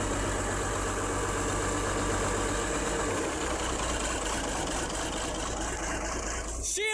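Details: Diesel engine running on its own fuel supply after a new 5.5 kW starter motor was fitted and it was helped to start: settles into a steady, even idle with no misses or knocks; running fine.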